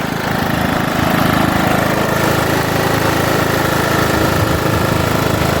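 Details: John Deere riding mower after new fuel pump and replaced fuel line, no leaks and fuel filter full: steady, even single-cylinder chug at constant speed with no misses or knocks; runs healthy.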